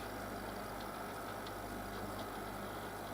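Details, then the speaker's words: Logik L20DHW12 dehumidifier after repairing its no-power fault, set to 40% humidity: compressor kicks in with a quiet, smooth low hum and an even, unchanging note, no rattles; running normally. "let's try that here it comes now the compressor comes in"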